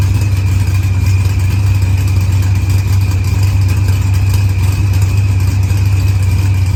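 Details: Green Challenger with a supercharged LS swap, idling after head gasket and fuel pressure sensor repairs, firmware update and a fuel trim. Timing reads 27°, target 28°. Deep steady V8 idle with even lope, no knocks or misses; healthy.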